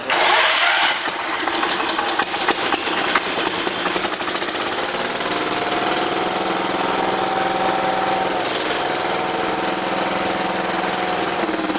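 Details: John Deere 210 lawn tractor, first start in over a year after carburetor rebuild and rerouted neutral start wire, jumped with weak battery: cranks and catches, runs with uneven wavering beat; rough running, throttle out of adjustment.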